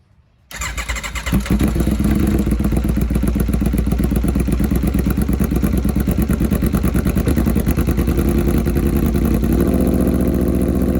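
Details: Rebuilt wrecked 2021 Aprilia RSV4 on its first start, fuel pump priming, while being checked for a leak: fuel pump whir, then the engine catches and settles into a steady, even idle with a slight lift near the end; runs clean.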